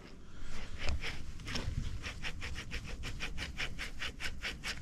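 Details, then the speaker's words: Clutch release bearing from a Case IH CS 94 tractor, removed during clutch replacement and spun by hand, gritty rasp pulsing about three times a second; worn, end-of-life bearing to be replaced with new. "Donc en fait le mécanisme de butée, ça je vais tout le changer, hein, parce que les roulements, ils font du bruit quand ils tournent."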